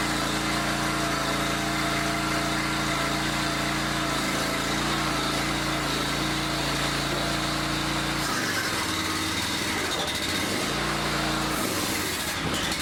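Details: Log splitter small engine, pull-start rope just restrung, started on choke: steady, even, clean buzzing note, briefly dipping in speed then recovering; sounds healthy.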